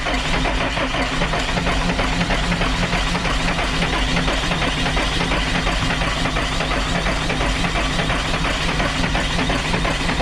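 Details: Dart bus diesel after running out of fuel, with air suspected of getting into the fuel system: long steady starter churn with no firing or pick-up in speed; keeps turning over but won't catch.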